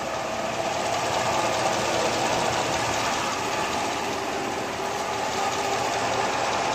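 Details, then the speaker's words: Top-end-rebuilt engine with Comp Cams Evolution hydraulic roller lifters after 14 hours of run-in, fully warm, right-hand bank, exhaust piped outside, wheels and tubs off: a light, fast, even valvetrain ticking. Mild clatter; the earlier Comp Cams 8957 link-bar lifters were loud when hot, and the owner suspects they were defective. "so there's what you have that's with a fully warmed up engine it's good and hot the oil is is uh operating temperature and that's what you get on the right hand bank"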